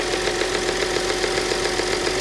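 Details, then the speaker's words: 2010 Audi Q5 Premium Plus, direct injection, with low oil pressure warning and check engine light: even smooth idle with light steady hiss, no top-end tick or knock heard; normal idle. "sounds fine to me I don't hear anything that I'd be worried about"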